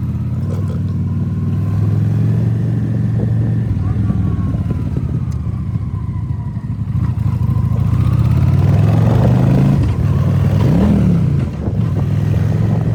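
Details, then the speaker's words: Honda Shadow 750 V-twin riding with uneven stumbling beat and a gear change; misfire blamed on spark plug caps leaking spark, all four caps to be replaced. "É, senhores, a moto apresentou um defeito de quem usa, que é tá vazando, vazando centeira pelo cachimbo, né? Vazando energia."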